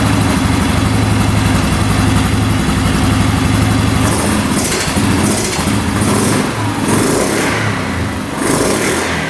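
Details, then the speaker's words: 2009 Yamaha Grizzly 550 EFI ATV, single-cylinder, whose seller said it revved high and the idle wouldn't drop. It now idles steadily and takes clean throttle blips that return to idle without hanging or over-revving. The air box is not yet hooked up and the engine light is on. "Alright, so far so good. Throttle's not getting hung up at all, not over revving."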